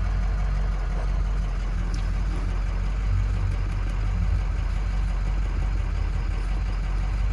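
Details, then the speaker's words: 2007 Ford F-250 6.0 diesel idling, truck shaking, codes for cylinder 5 misfire, no compression: deep uneven lumpy beat; rough idle from single-cylinder misfire (low compression). "2007 ford f 250 con 6 puntos se nos dice el problema de esta es que él la troca está está temblando una botella"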